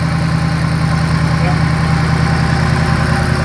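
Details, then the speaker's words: Shelby GT500 V8 after timing chain tensioner repair (noise earlier mistaken for rod knock was chain noise): smooth, even idle with only light steady injector tick, no knocking or chain rattle; healthy. "All you're hearing is the injectors. Yeah, that sounds nice. That's a definite improvement from the first day we saw this car."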